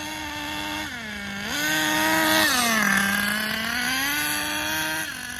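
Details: Schumacher Menace nitro RC car on new tires, last of its nitro. Buzzy little engine rises and sags, bogging on the revs instead of climbing cleanly; the high end needs tuning, and excess oil in the exhaust was ruled out. High-speed needle mistuned.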